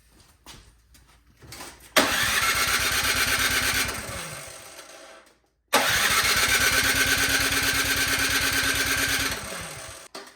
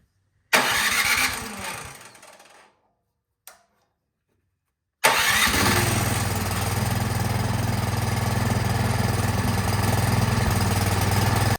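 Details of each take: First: 24-inch Craftsman snowblower with gas and oil, suspected old gas left in carburetor bottom, after draining dirty fuel: two cranking bursts of even chugging, never catches; cranks but won't start, carburetor clogged, needing removal. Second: 24-inch Craftsman snowblower after removing and cleaning the clogged carburetor, choked and set to run: after a pull and short cough it catches and settles into a steady, even idle; normal running.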